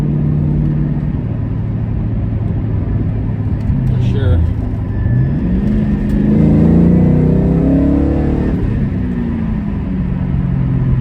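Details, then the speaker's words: 2001 Ford Mustang Bullitt V8 on first drive after cold air intake and VMP tune; deep, even rumble climbing smoothly through revs with no misses or knocks, noticeably quicker than stock: normal acceleration. "Yeah, it's quicker. I noticed the difference for sure."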